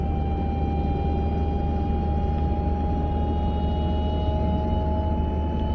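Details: 940 at about 30 to 40 mph: steady mid-pitched whine over road rumble at constant cruising speed, heard from the passenger side; source undetermined.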